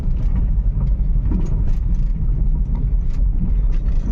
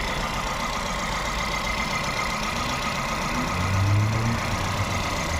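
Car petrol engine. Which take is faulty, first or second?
second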